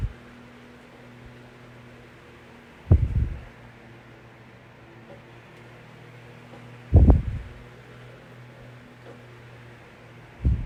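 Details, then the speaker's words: Vintage 1982-83 9-inch Galaxy fan after its motor was oiled. It gives a steady low hum and even whir with a few thumps, and spins freely, though the motor slows slightly when oscillating to one side. "I'm not exactly sure what that's all about when the motor kind of slows down when it turns to his left your right and then uh yeah it's pretty good"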